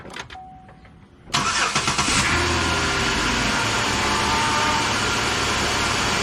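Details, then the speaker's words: 2010 Chevrolet Impala 3.5 V6 just after power steering pump replacement: engine starts and idles with a wavering whine from air still in the power steering fluid while bleeding until it quietens and foam clears. "[Applause] just keep bleeding it until it finally quietens down and you don't see a bunch of foam in your power steering [Applause] pump"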